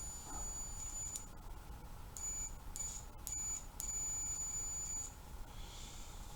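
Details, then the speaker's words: A roughly 25-year-old Craftsman multimeter set to diode/continuity test, leads touched together while testing the relays of a 1972 Bally Fireball pinball: short high-pitched beeps over low room hum; the continuity beep works. "I've got it set on diode test, continuity test. And when you touch them together, it should sound. You can hear it beeping, hopefully."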